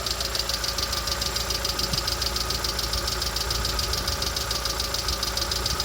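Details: Lada Vesta SW Cross 1.6 (106 hp) at idle: crisp metallic tapping repeating evenly a bit over twice a second over an otherwise steady idle, source undetermined; engine knock.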